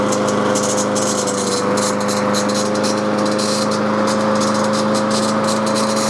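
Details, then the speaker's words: Snapper push mower, Briggs & Stratton engine after carburetor replacement, running at steady speed: light tinny rattle on top of engine note from worn recoil starter mechanism that engages to crank the engine. "Got this mower good and ready, and you can hear that little tinny noise. Man, that is coming from the recoil starter."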